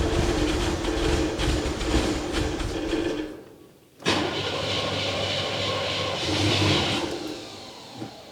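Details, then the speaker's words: 1979 Chevy Camaro, barn find sat over a decade, after carburetor work; rough running that sags near stalling, only keeps going with throttle held, then clears and revs. "run if I keep my foot to the floor and then idle it up there we go"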